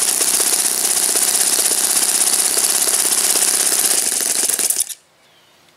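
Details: Saito FA-56 four-stroke glow engine, moderate-time, first run after cleaning and new bearings, on a 12x6 prop, OS F plug and 5% Omega fuel during a tuning and thrust run. A high, raspy buzz holds steady at full song, then cuts cleanly: normal running.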